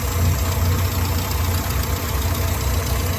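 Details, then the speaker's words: Souped-up Morris Minor with SU carburetor during mixture tune-up, jet adjuster turned with 16mm spanner; mixture was too weak, owner thinks he cranked it the wrong way; low, lumpy idle rumbling unevenly, almost stalling. "I think I must have been cranking that the wrong way. So I'm going to go the other way. It's almost stalling on idle now."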